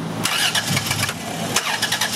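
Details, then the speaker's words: 3.3-liter engine with a number five injector control circuit code: long, uneven cranking that struggles to catch and runs badly. The control wire shows flat zero volts with no control, from a shorted or stuck-open injector flooding the engine and causing white smoke. "got a long crank time having trouble running got flat line zero volts on that wire got no control all right shut it off"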